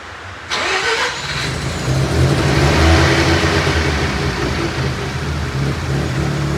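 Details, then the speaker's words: Australian-delivered Series 5 RX7 rotary with cleaned injectors, new fuel pump and new airflow meter, running for the first time: lumpy, pulsing rough idle of about four beats a second. Owner unsure whether it is missing; suspects a bridgeport. "so as you can see it's pulsing pretty nicely it sounds pretty angry i don't know if it's because it's missing or something like that or just"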